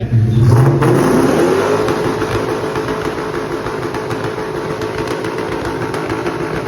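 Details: Ford Mustang engine: blip then rough idle with a faint, steady knock about three times a second; owner suspects rod knock, not confirmed.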